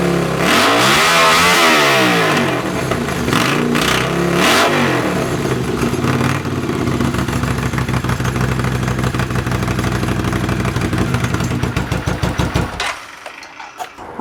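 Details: Honda CX500 café racer twin, after swapping a dirty fuel filter and colortuning the carbs (pilot screw about 2.5 turns out, slight flat spot right off idle): throttle blips rise and fall cleanly, then settle to a steady, even idle. Runs properly.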